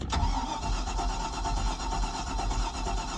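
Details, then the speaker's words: Stingray cuddy cabin MerCruiser inboard/outboard after Hurricane Ian, cold, running only about a minute: engine stalls, starter engages, then rough, lumpy low idle; cause unclear, owner says it's not warmed up and usually fires right once warm. "oops I don't know why I should do that but then again it's only been running a minute"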